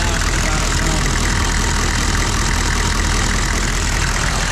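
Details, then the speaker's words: Old GMC/Chevy OBS 6.5L turbo diesel, 150,000 miles, after fixing a fuel leak under the intake manifold behind the injection pump: loud, rough-edged but even clatter at idle, steady beat, no misses, no fuel dumping, no check engine light; healthy idle. "it is running but I think we're good I don't have any fuel dumping out from underneath sorry it's loud old 65 turbo"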